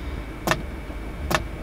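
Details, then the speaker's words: Diesel parking heater (Planar 2D) dosing pump under a VW Crafter camper van priming diesel: two sharp, crisp ticks under a second apart over a quiet hum; normal pump clicking. "man hört sicher das Klicken der Pumpe."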